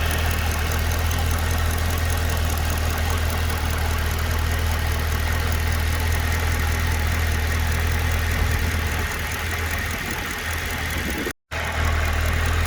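Steady idle with a light, fairly regular tick, about four per second, over the engine's drone; source undetermined.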